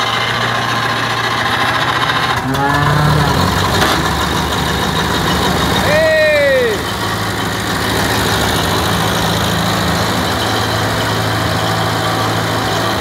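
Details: 1947 Ferguson (TEA-20/25) petrol tractor, a barn find that sat for years, first start after fresh oil, water, petrol and a new battery: a steady, even low putter at about 220 beats a minute with no knocks or misses, idling healthily with oil pressure working.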